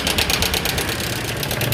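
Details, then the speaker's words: Honda Karisma motorcycle idling with a harsh, fast, diesel-like metallic clatter from a slack cam chain whose tensioner moves. "ternyata yang Lihat sampingnya pun bergerak Yaa jadi ini penyebabnya yang buatkan suara kasar ya"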